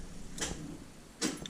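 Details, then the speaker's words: 1979 Chevrolet C3 Corvette after a dash wiring clean-up and removal of an aftermarket alarm and sound system: two dull clicks about a second apart, barely turning, as the low battery can't crank the engine while the charger is connected. "hey it started turning a little bit Yeah my battery is not good enough to crank it while my battery charger is charging"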